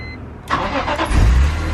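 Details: BMW E46 M3 started right after an oil change and throttle position sensor reconnection: a short starter crank catches quickly into a firm, even idle rumble with no rattle or misfire; a healthy clean start.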